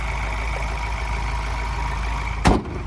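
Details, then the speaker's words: 2020 Ford Everest Titanium diesel, idling, heard under the open bonnet: even, steady diesel clatter with a smooth low beat, no knocks, rattles or squeals; healthy. "And as we listen to it run, no major knocks, rattles or squeals. It's a diesel motor tipping over nicely."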